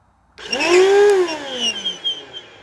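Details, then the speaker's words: Korean Bissell CleanView Helix 82H1 upright vacuum, run as found with a clogged filter during teardown: loud, harsh screech as the motor spins up, pitch sliding up then falling; one of the worst-sounding motors, cause unclear. "oh oh can you hear that screeching oh wow sorry if I uh blew your ears out"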